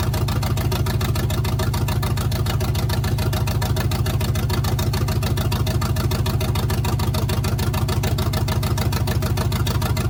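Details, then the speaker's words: 1971 GMC truck, hot, after installing block hugger headers: a loud, pulsing low idle at about three thumps a second with an uneven, stumbling beat. The owner says the idle needs work and the headers sound better. Rough idle, cause suspected, not confirmed. "well I got to work on the idle a little but if you're here you'd be able to hear that uh the headers definitely sound a little bit better"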